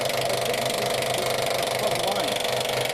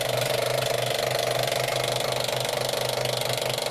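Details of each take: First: Vintage engine being cranked: steady churning with no firing strokes catching; it cranks but won't start. The fuel pump is suspected of not delivering fuel, which is unconfirmed. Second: Old engine, sat unused, running on fuel poured into carburetor: catches and runs fairly evenly, then turns ragged as fuel runs out; fuel pump heard pumping but suspected not delivering fuel, line possibly blocked.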